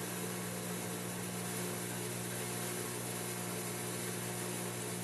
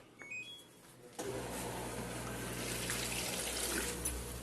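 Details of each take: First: 8.5 kg Turbo Drum 3 washing machine on spin with cover removed: loud steady hum with rough uneven throb about three times a second; excessive out-of-balance vibration from worn drum spider, after shock absorbers checked. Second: Turbo Drum 8.5 kg washing machine entering its spin cycle. A quiet click, then an even pump hum with water gushing out: the drain pump empties normally, though the machine is shaking and vibrating excessively.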